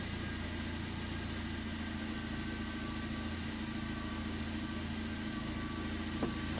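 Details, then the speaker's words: 2012 Suzuki Swift after cleaning the throttle body and butterfly valve and refitting the air intake: starts normally and idles steady and quiet with an even low hum, no dips, hunting or ticks. "ก็สตาร์ทติดปกตินะครับเครื่องก็นิ่งปกติเงียบปกตินะครับ"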